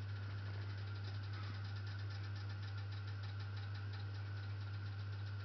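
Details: Worcester Greenstar ZWBR 7-28 HE Plus gas boiler running its morning cycle: deep steady drone with a faint pulsing knock about twice a second; began after fan assembly replacement, still unfixed, heating works fine.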